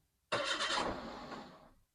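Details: Daihatsu Terios after DIY valve cover gasket replacement, battery reconnected, coolant being topped up: brief starter whir and the engine catches cleanly within about a second, no grinding or stumbling. Normal start.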